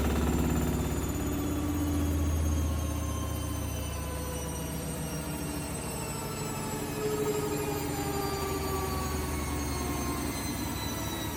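Steady idle with a soft, fairly even knock about three times a second under the drone; a knock at idle, source not pinned down. Cause suspected, not confirmed.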